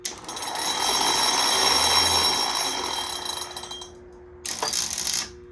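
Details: Warn 8074 winch after fixing the keyway and refilling gear oil: steady high motor whine about four seconds, stop, brief spin again, no grinding; winching in works, out does not, owner suspects a bad solenoid.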